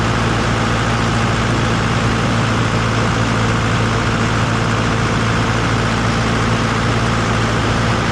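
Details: Deep steady diesel idle with an even low drone and no knocks or misses after a repair, let run to confirm it is fixed; sounds healthy.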